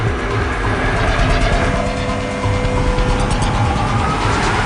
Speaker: up to it sounds noisy a little bit concerns maybe put on the stoplight we hear the cavitation and always tears we feel it as for vibrations in the chip